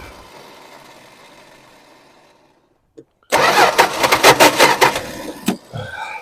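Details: 1974 Dodge Dart Swinger that sat a while, after refueling: silence then long uneven labouring cranking before it catches and runs; owner suspects sticking starter Bendix or a missing flywheel tooth.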